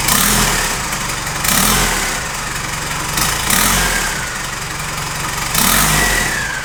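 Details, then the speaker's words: Nissan Patrol with a swapped Isuzu 4JJ1 diesel on its first start, after adding aluminium intercooler piping with the MAP sensor at its end. It settles between throttle blips every two seconds, picking up cleanly and idling evenly, and runs healthy. "all right guys I am bloody Blown Away I've just been sitting here looking at this thing for the past half an hour and I just can't believe that it's finally running"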